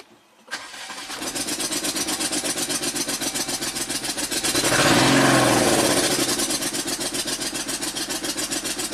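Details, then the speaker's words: 2019 Jeep Wrangler Rubicon Pentastar V6, 72,000 miles, P0300 rough idle: compression test cranking near four beats a second, one stroke lighter; cylinder 1 only 125 psi versus about 150, intake valves not opening fully. "Yep. That's low compression right there for sure. So from this we can say that the if the compression is low on cylinder one."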